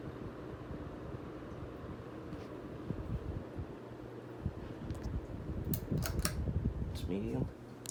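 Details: Vintage Encon Premier Deluxe 36-inch downrod four-blade ceiling fan running on high speed in downdraft: soft steady low hum with a gentle airy whoosh and no ticking, rubbing or wobble; runs smoothly.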